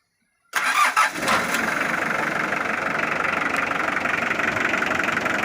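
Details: Mitsubishi Triton 4D56T turbo diesel, first start attempt after 10 years sitting, new timing belts (balance belt had snapped), new battery, old diesel, radiator cap off with tap water: brief crank, catches first try, then steady even idle clatter; clean start.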